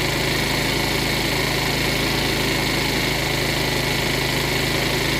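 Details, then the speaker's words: Cheap used 50cc Chinese scooter that had sat unused, on a motorcycle lift, warming up. Small single-cylinder buzz at a steady fast idle with no dip or hunt: high idle, likely from warm-up, before the idle screw is turned down. "still idling a bit High I'm waiting to see if that's warm up or not I think it's fast warm up so I'm going to take a little out"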